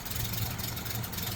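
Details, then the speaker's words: 1936 Rolls-Royce 20/25 straight-six, 25 horsepower, started instantly from cold after running out of fuel: quiet, low, even idle murmur, no misses or knocks; said to get quieter as the engine heats up. "I mean, it might sound loud on camera, but I promise you, this thing is so quiet."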